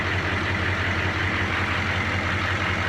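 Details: Caterpillar 3208 marine diesel on boat, after fuel pump installation, sea trial start: steady even idle with deep regular beat, no knock or misfire, zero smoke; healthy.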